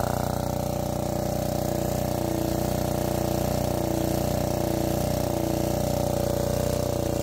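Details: Lombardini 15LD400 single-cylinder diesel generator, barn find revived with electric starter: steady, even thump with a constant hum and no misses or knocks; running properly.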